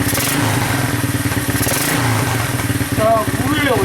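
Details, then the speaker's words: Field-find Honda 200SX three-wheeler, carburetor fitted, temporary pressurized gas tank, choke partly on, in neutral with rear wheels raised: steady, even single-cylinder beat at fast idle, no knocks or misses; normal running. "look at them apples wow i'm telling you it's really coming along pretty nicely"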